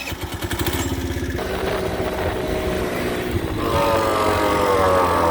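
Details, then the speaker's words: Tao Tao Pony 50cc GY6 (139QMB) scooter riding: engine pulsing, then a harsh rising growl and rubbing when the front brake is applied; first thought wheel bearing, actually the front brake line chafing the tyre after its retainer broke. "looks like i spoke too soon it seems to be a problem with the brake line you can see there it's been rubbing on the tire the whole time and that is because the little retainer has broken off"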